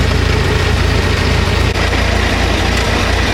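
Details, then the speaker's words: Model T Ford, just started by hand crank: low, uneven chuffing idle with a brief sag, nearly stalling; this engine tends to stall quickly, so the spark must be adjusted fast to keep it running. "with what this one likes to install a little bit faster than most so as you see I hadn't run over here to prevent it from stalling"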